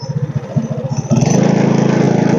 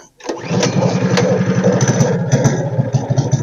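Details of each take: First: Tillotson 212 mini bike engine after repair and idle adjustment, riding; steady single-cylinder thump rising smoothly to a fast even beat under throttle; normal running. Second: Tillotson 212 mini bike engine started on choke after repair; quick uneven single-cylinder chugging falters and dies, won't hold idle; owner plans to raise idle adjustment; stalling after start.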